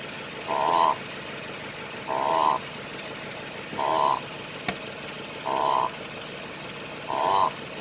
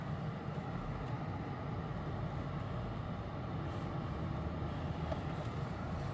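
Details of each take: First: 2008 Lexus LS460 underbody noise, a known chronic fault: repeating creaky squeak about every 1.5 seconds as the body moves, from a dry, worn upper control arm bushing. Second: 2008 Lexus LS460 after replacing upper control arm assembly (aftermarket), which previously made noise even steering in place: smooth even road hum while driving, no clunks or knocks over bumps; suspension now quiet.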